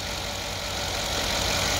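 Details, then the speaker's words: S550 engine after hydrolock, water emptied from cylinders and cranked out the exhaust, restarted cold with MAP sensor unplugged and check engine light on: uneven, lumpy idle with irregular stumbles under a hissy background, not firing correctly on all cylinders; misfire. "check engine of course we going to have a check engine the map sensor is out and it's not firing correct in all of the"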